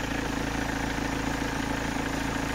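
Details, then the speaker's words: 2007 BMW 320d M Sport auto diesel, 182,000 miles, MOT advisory for loud engine, drives without knocks or rattles: idle with fast, even clatter over low drone, louder than normal; cause unknown. "on the last mot The Advisory was down saying it had the engine was loud so let's listen to that"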